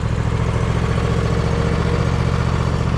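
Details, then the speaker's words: John Deere Z525 mower after 100+ hours in dusty conditions, just serviced with new air, fuel and oil filters, spark plugs and oil; new fuel filter priming, deep steady single-cylinder thrum, runs smoothly, normal running. "it's gonna take a minute for that new fuel filter to Prime up it might actually stall out but I guess we'll find out this machine tends to be a pretty good running machine"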